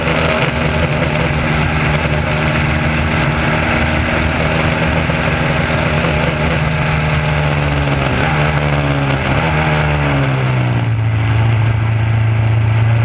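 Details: SCCA Formula Continental race car pulling hard through the gears with a ragged, stumbling note under load; misfire caused by the distributor wire picking up pulses from the electric fuel pump.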